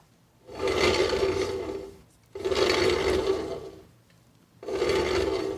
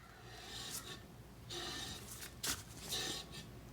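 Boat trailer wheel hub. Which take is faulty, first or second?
first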